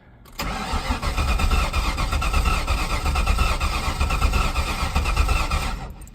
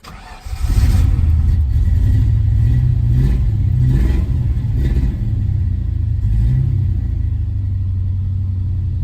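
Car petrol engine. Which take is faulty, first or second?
first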